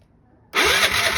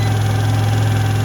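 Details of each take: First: Piaggio ET4 scooter, long unused, on jump pack with weak battery: starter whirs, engine half-catches raggedly but won't run; cranking without starting, cause suspected not confirmed. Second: Piaggio ET4 scooter, carbureted and unused for years, started on a jump pack on the third attempt: a steady, even low idle with a smooth rumble and no knocks or misses. The engine runs fine.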